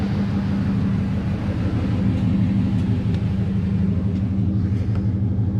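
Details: 2003 Dodge Ram Hemi after new battery fitted, alternator spared: steady low rumble with even beat at idle, no misses, knocks or squeals; normal idle, battery gauge showing improved charging.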